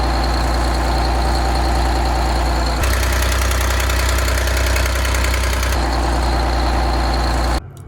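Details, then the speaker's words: Detroit 6V92 two-stroke diesel in an MCI bus conversion, after exhaust manifold gasket replacement: steady, even idle with a smooth low drone and no ticking; leak noise should be gone, owner noticed a possible puff of something. "that noise should be gone and i did notice a little puff of something i thought but i'm gonna wait until the engine's real cold"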